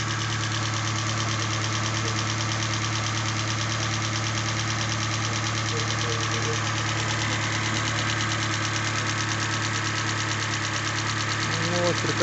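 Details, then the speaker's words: Hyundai i40 2.0 G4NA at 41,175 km, first start after overhaul for a knock from scored cylinders 1 and 4 (block bored): smooth, even idle with light quick ticking, hydraulic lifters filled, no extraneous noise. Normal idle. "работа двигателя никаких посторонних смог гидрокомпенсаторы наполнены"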